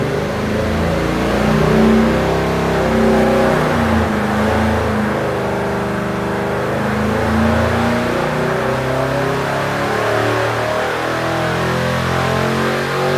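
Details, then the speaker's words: 383 LT1 (11.0:1 compression, LE2 aluminum heads, small LE 1.2 224/224/108 cam) on the dyno, full-throttle pull: strong even V8 roar, no misses or knock; first pull about 450 hp and 506 lb-ft. "small cam is acting like it should had on the first pull 450 horsepower good torque it's 400 500 foot-pounds torque 506."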